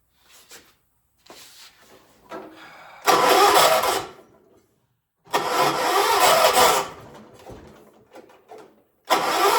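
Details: 1976 John Deere 300, cranked using a jumper pack: several cranking bursts of a second or two turn the engine over but it never catches or fires; hard starting.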